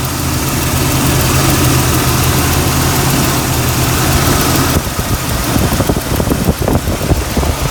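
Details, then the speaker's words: 1999 Jeep Cherokee XJ 4.0 inline-six with 60,000-mile-old plugs before tune-up, a little below operating temperature, idling about 800-825 rpm: smooth even low hum, no misses or knocks; runs great. "Now the Jeep runs great. It has, and that's one reason I haven't replaced the plugs."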